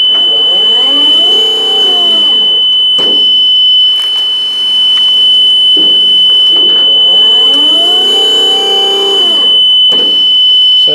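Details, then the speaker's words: Five-year-old Haulotte scissor lift while lifting, lowering and driving: constant high beep that holds solid instead of beeping intermittently like a beacon. Hydraulics and drive work fine. Motion alarm stuck on continuous. "And the other thing is that it makes a lot of racket when you, like a beeping. I think it's meant to be like a beacon, like beep, beep, beep. But instead it's just staying on solid."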